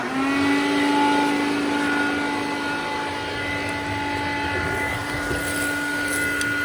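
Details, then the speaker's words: Vintage Hoover Dial-A-Matic 1136 upright with 840 W, 7 A motor, suction control on high using the hose: a steady high motor whine with a rough, dry edge under the airflow; owner says the motor sounds like it needs re-greasing. "Cosmetically, this vent here is starting to collapse, and the motor sounds like it needs to be re-greased."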